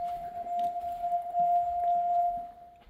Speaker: think the home alarm just started to go off for a second